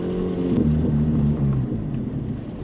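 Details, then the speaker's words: Project car, exhaust missing, no check engine light, transmission a bit squirrelly; while coasting the engine note sags lower then dies within about 1.5 seconds; engine stalls when coming to a stop. "and the car just turned off again as we tried to come to a stop there's no check engine lights though it just turns off"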